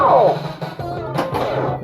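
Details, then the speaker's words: Funhouse pinball machine whose sound board had been glitchy for months, after refitting with 150k ohm resistors to balance Rudy's voice against the music: game music, a falling whistle and drum hits play clean and balanced, with no hum, crackle or dropouts. "this sounds pretty balanced so far let's uh turn it up so we can buckle up oh that's already nice i can tell"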